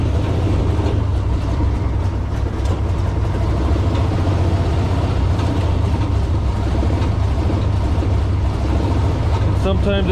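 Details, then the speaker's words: Small petrol engine on a rail motor car, started with choke and a little throttle via an added RC-car radio module, resistor block and relay: low steady idle with a slightly uneven beat; weak signal makes it run a little rough. "it's got a weak signal so it runs a little rough"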